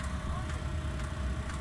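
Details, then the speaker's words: Cheap Chinese diesel heater, second start: deep even combustion rumble with the fuel pump clicking about twice a second; smooth consistent burn, exhaust warming, ramping up. "it's ramping up I can hear a nice smooth consistent burn everything I want to see"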